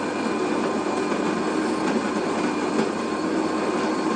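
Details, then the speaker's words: Used bean-to-cup automatic coffee machine under buying test, grinder on the high setting: an even, steady grinding whirr at constant pitch, with no whine or labouring. The grinder sounds solid and normal. "And then The grinder, I think, was solid, although on the high setting."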